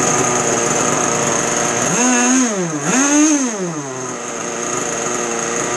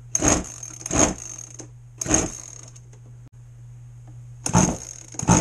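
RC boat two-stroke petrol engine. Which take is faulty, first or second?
second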